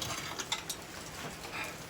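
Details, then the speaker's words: Honda 300EX axle turned slowly by hand: rough, uneven clicking and gritty, chunky catches instead of a smooth spin. The carrier bearing is destroyed and its bracket retaining clip is broken. "oh god that's nasty you can hear that yep so also too the retaining clip that holds the bracket and everything is broken it's all it came off you can see the bearings down in there are just destroyed yeah it's chunky"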